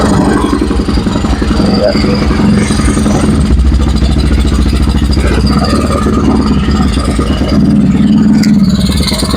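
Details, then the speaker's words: Honda Vario 110 carburetted scooter with racing exhaust, engine freshly rebuilt: revving up and holding evenly with a loud but smooth exhaust note, no knock or rattle; runs clean. "Oke, kita tarik gas ya. Oke, itu lembut-lembut ya suaranya ya."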